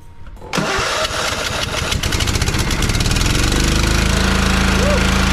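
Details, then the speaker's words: John Deere LT155 riding mower, choked, after replacing missing engine mounting bolts and carburetor adjustments: fires within a second, picks up smoothly and settles into a steady even run with no rattle or shaking; solid start. "listen to that thing run like that for days it'll run like that for days nice and smooth"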